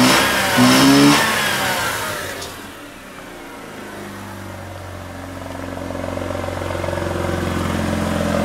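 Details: Mazda RX-8 rotary being revved, then dropping back to an uneven, lumpy, stumbling idle; it smells rich with a little smoke. Owner first suspected a clogged catalytic converter or stuck injector.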